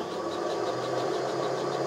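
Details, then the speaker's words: Hobby 818 lathe refurbished with 24V 400W 2600 rpm Currie DC motor on a 25A control board and 16A supply, run up by pot: quiet, even hum with a faint whirr, motor barely audible, running normally. "I don't know if you can hear that, but it's actually quite quiet. You don't really hear much of the motor at all."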